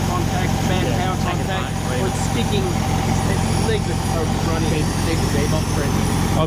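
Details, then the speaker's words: 1964 VW Beetle with freshly rebuilt 40 hp engine, first start after a cranking issue: even, steady low chuffing at idle with smooth regular beat, no knocks or misses; clean normal idle. "sounds nice guys sounds good doesn't it"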